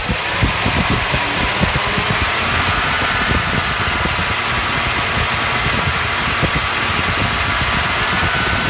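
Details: 1996 Chevrolet C2500 5.7 engine: thin squeal or bearing whine over rough engine noise, quiet under 1500 rpm and louder as rpm rises; owner unsure whether pulley, water pump or cam bearing.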